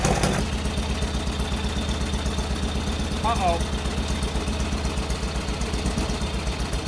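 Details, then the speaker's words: Free mini NASCAR go-kart small engine after draining water from gas and carb: loud blatty idle with uneven popping about four beats a second, raw and unmuffled; holed exhaust leaking, carb getting dirty again. "Uh there's a bunch more issues going on with it. It's got hole in the exhaust that y'all saw."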